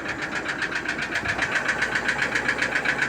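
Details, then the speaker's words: Toyota Innova diesel at idle, then revved: steady sharp ticking about four taps a second over running noise; no warning lights lit; suspected low oil or poor oil supply, not confirmed. "suara mesin bunyi tek tek tek tek tek tek tek ini teman ya. Tuh, coba kita gas. Nah, kedengaran teman ya. Jadi suaranya kayak mukul-mukul gitu, Teman ya."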